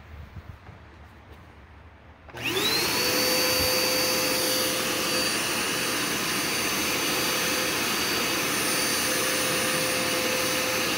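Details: Curbside-found Dirt Devil Endura Max UD70175 vacuum after brush roll and belt refitted: motor spins up quickly to a steady high whine with even airflow rush, no rattles or surging; running normally.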